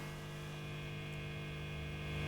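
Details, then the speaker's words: Early Orange Matamp ORST guitar amp after adding an earth plate and positioned antenna wire: only faint steady low buzz even in worst position, hum reduced about 90 percent; low residual mains hum. "very bearable and this is in the worst hum position"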